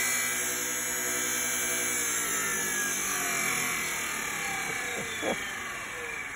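Clean motor whine climbing smoothly in pitch, then holding a steady spin without rattles; weapon motor sounds healthy.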